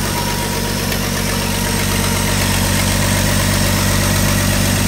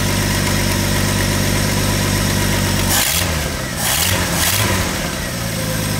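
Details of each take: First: 1985 Ford F-150 300 inline-six idling after a cam gear replacement: fast, sharp puffing tick over the low exhaust drone, heard on the exhaust side; exhaust leak, otherwise well broken in. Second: 1985 Ford F-150 300 inline-six after cam gear replacement, run on starting fluid: idles evenly, revs and settles several times without knocks, with a slight exhaust leak audible on the exhaust side; sounds well broken in.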